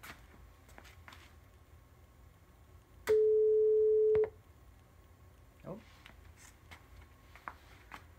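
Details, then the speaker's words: Line 6 LD150 bass amp fed a 432 Hz test tone from a computer through the 3.5 mm input: the tone plays for about two seconds, then stops dead while the lights stay on. The amplifier output is cutting out. "we did have a tone I'm sure you could hear that I was on for maybe two seconds and then it shut off we have lights so there's still power"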